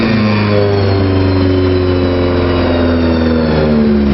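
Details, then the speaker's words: 1978 VW Scirocco on about the fourth round of carburetor jet changes, slightly leaner main jet, timing tweaks, leaking choke removed and blocked off: engine revs steadily with slightly uneven, lumpy note; mixture still being tuned. "all right we're on about our fourth round of changing jets it's getting better little tweets on the timing"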